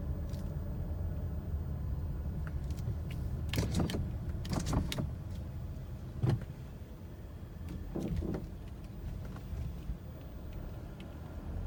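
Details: 2017 Mazda CX-9, heard from inside while driving over speed bumps: sharp clunks and knocks over low road rumble; the noise persists after the dealer replaced the lower control arm, cause unknown.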